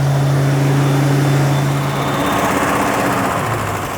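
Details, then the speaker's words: 1980 Rover 3500 SD1, Buick-designed aluminum V8 just fully rebuilt: strong even note, steady low rumble, no misses or knocks, much louder and smoother than before, balanced; oil pressure light later flickered then stayed on, cause unknown. "Le bruit n'est pas désagréable, cependant. - Il est bon. C'est beaucoup plus fort qu'avant. Beaucoup plus fort."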